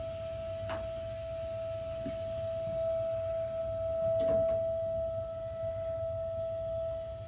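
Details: Gas water heater just over a year old, expansion tank at 50 PSI on cold line: steady high-pitched whine with faint clicks only while burner is on; relieving pressure doesn't help, burner off stops it; cause unknown.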